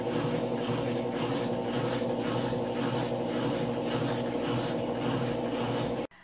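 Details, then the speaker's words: Replacement GE GTW330ASK4WW top-load washer on the spin cycle: a loud, steady whooshing roar with a slow pulse about once a second. It is noisy like the first unit, which was deemed defective; the wash cycle is louder. Cause unclear. "this is the sound on the spin cycle to me the spin cycle noise is less annoying than the wash cycle"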